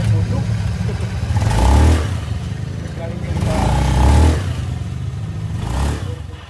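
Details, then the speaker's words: Honda Beat scooter after fixing a squeal from the CVT block on throttle by re-gluing the clutch bell cover plate to the bell: three clean throttle blips rising and falling smoothly, no squeal under load; normal CVT operation. "nah berhasil ya jadi suara nyericit yang tadinya itu saat digas suara nyericit itu bunyi sekarang sudah hilang"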